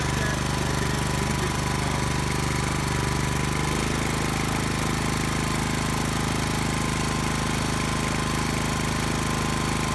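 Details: Brand-new Subaru Robin SP-170 5.7HP engine, first start ever on a stand, 10W-30 oil: single cylinder thumping evenly, steadier note after a few seconds; healthy, warming up.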